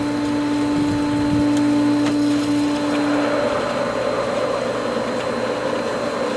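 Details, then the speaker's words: Pool pump after winterized skimmer lines opened during spring opening: steady motor hum with hissing, gurgling rush as air comes through the valve and pump; pump drawing air while regaining prime. "I can hear the air coming through this valve and there's still air in the pump"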